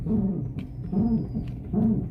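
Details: Car driven with windows closed: squeaky creak repeating about every three-quarters of a second, worse when turning the steering wheel, from suspension on both sides; worn ball joint and stabilizer links.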